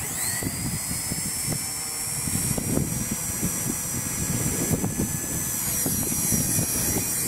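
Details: Blade Nano CPX with brushless kit on a new Charsoon 3.7V 250mAh 1S 30C lipo, replacing old 150mAh packs that hit low-voltage cutoff: rotor whine climbs and holds at full power, no sag or cutout, kicking the tail out on punch-outs.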